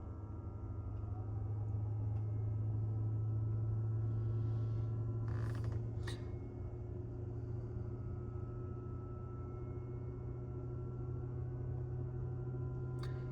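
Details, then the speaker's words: 2023 Tesla Model 3 RWD, cabin mic, at a supercharger without preconditioning. A loud, steady low drone with brief clicks as the heat pump runs hard; normal operation. "There we go, I can hear it now. The heat pump going crazy."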